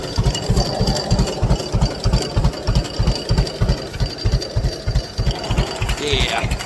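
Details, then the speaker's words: Newly bought two-cylinder tractor in neutral, throttled down to its lowest idle. Slow, even chug at about three beats a second, steady and unhurried; a healthy low idle. "but yeah I want people wondering how low she can go that's clch wrong thing that's about as low as I can get her to"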